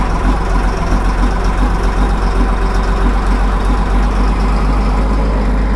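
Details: 2000 Cat 563D ex-USMC vibratory roller, Cat 3116 diesel, 25 original hours, just started cold: steady deep idle with even low thrum, no knocks or misses, settling while warming; normal.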